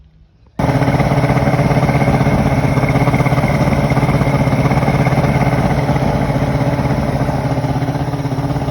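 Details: 1993 Evinrude 150 Ocean Pro outboard after carburetor gaskets were redone to fix a major fuel leak: fires instantly and settles into a smooth, steady two-stroke burble with no misses or surging; carburetors now dry.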